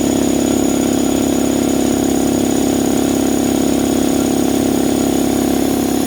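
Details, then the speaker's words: Draper 150L belt-driven 2.2kW 10-bar air compressor, new, after 10 minutes of running with air escaping so pressure stays low; oil level fine and clear. Even, steady pump chug with constant hum and air hiss, no knocks or squeal; running normally. "Right guys, so it's been 10 minutes now. As you can hear, the air is still escaping. So it ran well. The pressure didn't build up too much."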